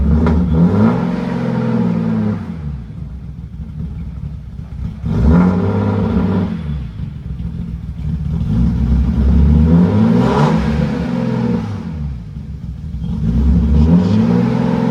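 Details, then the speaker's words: BMW E36 M3 after rebuilding the fuel injectors: loud exhaust through repeated revs that rise and fall cleanly with no stumble; misfire fixed, loud exhaust rumble remains, and the idle air control valve is still suspected. "That sounds smooth. I think we did fix the misfire problem."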